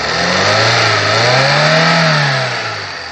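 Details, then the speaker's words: 1999 Fiat Palio after cylinder head rebuild, new water pump, belts and tensioners, fixing misfire and check-engine light; clean, even rise and fall in engine pitch as it's blipped, no misfire, knock or ticking. Normal revving. "Olha a marcha lenta desse carro. Foi trocado bomba d'água, tá? Cabeçote feito."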